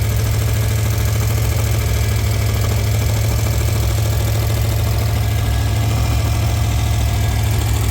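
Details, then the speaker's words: Ford Crown Victoria V8 at idle after road test, all eight cylinders' compression fine; steady deep rumble with faint uneven tapping; slight engine knock, possibly misfire, cause unknown, engine to be pulled and inspected. "I don't know if you can hear it but I I I mean it's just a real slight knock but I don't like that I'd rather pull it out than blow it up"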